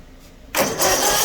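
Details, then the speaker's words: Ferris 1000Z zero-turn mower after repairing broken wiring terminals to the seat switch: brief crank, engine catches straight away into a steady run; previously wouldn't turn over or start, now starter and ignition work normally. "we get good turnover from it everything's working like it's supposed to before again it wouldn't even turn over wouldn't start wouldn't do anything"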